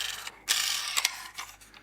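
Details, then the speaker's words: Mehano HO TGV set T871 dummy-car bogie with plastic axles: light, quick gear clicking fading as the wheels coast down; these axles spin freely, unlike one jammed axle on the same car. "and that one this one doesn't spin at all so we're going to whip it off and try and see what the problem is"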